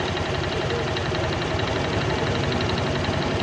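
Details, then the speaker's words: Honda Click 125 V3 scooter with 4575 km, idling: rapid light knocking over engine clatter, not yet loud, comes and goes; piston slap suspected, CVT to be checked. "siyang kalantog or engine noise dito sa motor na to ay hindi pa naman gaanong kalakasan minsan nawawala minsan"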